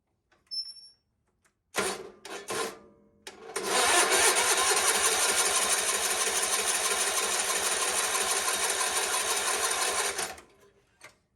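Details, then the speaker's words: GT/18 after new ignition system, coil and plug wire fitted; starter churns steadily about three turns a second for six seconds, never catches; crank no start, spark not yet checked (normally fires right up). "I don't got anything. Not starting. I didn't check for spark, so I guess we should probably check for spark. But normally she fires right up."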